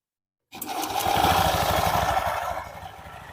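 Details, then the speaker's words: Honda Beat Pop scooter after CVT repair for rough clattering noise, double clutch plates adjusted: engine catches and settles into an even, steady putter with no knocking or rattle from the belt drive, running smooth like new. "Mesinnya sekarang berjalan lancar, tidak ada masalah lagi."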